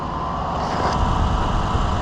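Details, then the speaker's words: 2015 Chevrolet Suburban right after alternator replacement, at start-up: engine runs smooth and steady with no whine riding over it, the earlier alternator whine gone; new alternator running normally. "Sounds pretty good. It's not making that whining noise anymore."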